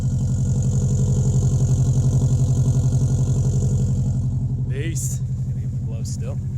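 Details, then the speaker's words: Subaru WRX just started after sitting in deep snow, cold idle with a rapid even puffing chuff about four beats a second; exhaust leak up front, owner unsure whether just before or after the turbo. "I can hear the exhaust leak up front there"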